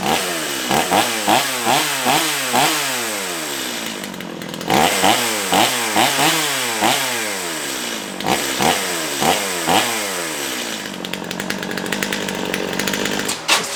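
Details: Restored Stihl MS211 chainsaw, hot start after fuel system cleaning: revs up sharply in quick repeated blips and drops back cleanly with crisp throttle response; running properly.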